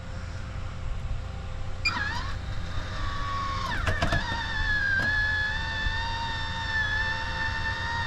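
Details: MaxxAir MaxxFan that beeped and shut off after about 4 seconds from input voltage about 1.6 V too high, after a 12 V voltage regulator was installed: the fan spins up into a steady, even motor hum with no beeping or cutout; normal operation.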